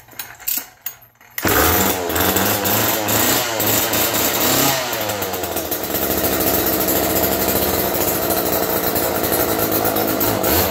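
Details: Roadside-found Homelite two-stroke chainsaw after cleaning and carburetor tune-up, 50:1 fuel, choked: a few pulls, then catches and settles into steady buzzy run, no stumbling, burning off oil smoke; normal start and idle.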